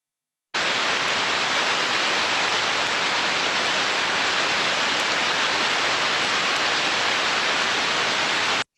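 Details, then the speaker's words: Ultrasound, heterodyned, of a healthy idler bearing: smooth, uniform white-noise hiss without clicks or crackle, in a good state. "fantastic i hear you say it sounds fantastic a very smooth and uniform"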